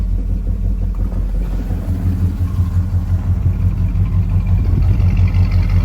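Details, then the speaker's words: 1965 Ford Ranchero V8, reassembled after a new cam, lifters and timing chain to cure valvetrain noise: a deep, steady idle rumble with an even beat and no knocks or ticks. It runs well and is quiet again. "So we got the car back together. Overall, could not be happier with the way that the engine sounds. It runs good, it's got good power, it's nice and quiet again."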